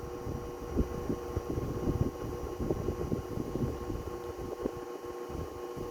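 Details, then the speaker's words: 1936 Westinghouse PowerAire 10-inch 10-SQ-3 desk fan, pre-restoration, drawing about 0.82–0.84 A and 62.3 W, with the back bearing unoiled. Even fan whoosh with a prominent electrical buzz from motor windings needing revarnishing. "That really prominent buzz is a telltale sign that it needs revarnishing on the windings."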